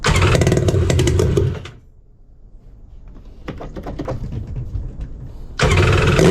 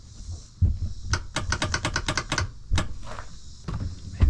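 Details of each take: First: 1999 Kawasaki 900 STX jet ski two-stroke after top-end piston replacement and starter fix, on trailer without cooling water hooked up: loud, rough bark dips then picks up to a strong steady run; running fine. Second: 1999 Kawasaki 900 STX jet ski after top-end piston replacement, on lead-acid battery: about ten quick dry clicks with no cranking; bad starter, engine to come back out.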